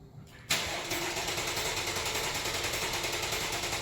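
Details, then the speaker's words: 2018 Chevrolet Camaro 3.6 V6 with a dead cylinder (P0300/P0302) after coil, plug and injector replaced; starter cranks in a quick pulsing beat with an uneven rhythm: misfire from low compression in one cylinder. "Pues a lo mejor suena como una máquina normal verdad Pero si escuchan el ritmo en el que granea la máquina que el motor está trabajando se van da cuenta que se que se escucha disparejo verdad"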